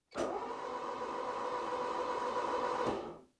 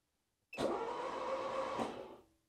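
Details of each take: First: Barn-find 4WD Citroen BX, first crank after sitting, oil squirted into cylinders, no oil pressure gauge: even starter whirr turns engine quickly and freely about three seconds, tone changes as oil pressure arrives; normal cranking. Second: Barn-find 4WD Citroën BX, no ECU connected, first spin of engine: starter turns lazily under two seconds without catching; owner suspects bad battery terminal connections. Slow cranking.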